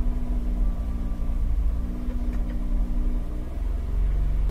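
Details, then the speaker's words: Holden Captiva Chevy V6 with crank-but-no-start fault runs only with accelerator held at certain revs, rough and lumpy, one whole bank dead; misfire codes on cylinders 2, 4 and 6. "if you kept it at a certain rev range you could get this vehicle to run although very badly you could get it to run and continuously run"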